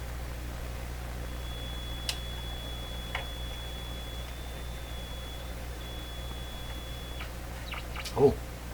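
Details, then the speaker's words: Westinghouse 535 radio, traced for spurious oscillation by swapping vacuum tubes; after refitting a tube with heaters still warm, a thin steady high whistle over faint hiss, only ordinary station heterodyne, oscillation gone, no volume as no antenna fitted. "it's nothing more than heterodyne."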